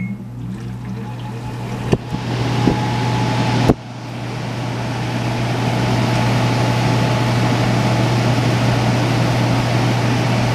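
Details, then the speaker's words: Old large GE 240-volt window air conditioner, working poorly and smelling when switched on: loud steady low hum under constant rushing fan roar, running evenly but very noisy. "it stinks when you turn it on so yeah but I'll turn it on and this thing is pretty noisy too"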